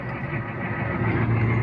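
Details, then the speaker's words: Used off-road truck shifted into 4-high via transfer case, taking off: smooth low engine pull-away with an even drone, no clunks, grinding or whine from the driveline; normal 4WD high-range engagement. "Truck's taking off fine, no weird noises. It's good."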